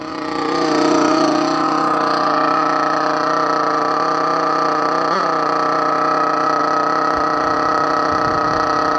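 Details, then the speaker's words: Thunder Tiger EB4 S2 nitro RC car with an aftermarket exhaust, just started in cold weather and warming up, likely running slightly rich. A very loud, steady high-pitched buzz holding an even tone: normal warm-up idle. "Anyway, so it's started, it's going to warm up, you can hear how it sounds, and I'm having to shout pretty loud at the moment because this car is extremely loud."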